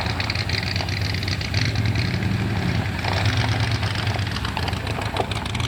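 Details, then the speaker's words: 1977 Ford F150 4x4 barn find, one-owner, sitting about 20 years, on its first short drive home: low V8 rumble with uneven, stumbling beat and irregular pulses; running rough while moving, cause not yet clear. "she's running kind of rough but we're moving"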